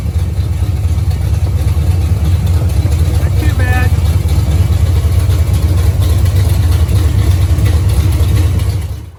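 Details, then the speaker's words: 1973 Camaro barn find, first run after fixing carburettor leaks, with a slight transmission cooler line drip: a steady, even V8 rumble with a strong low beat and no knocks or misses. Normal running. "Sounds like it was running pretty decent."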